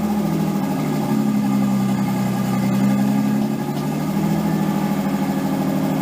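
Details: Nissan 240SX S13 with swapped RB20DET, first start after a crank angle sensor repair: smooth, steady but noticeably fast idle with a brief rise and fall; idle way too high, owner suspects slight oil burning, idle and AFR still to be set.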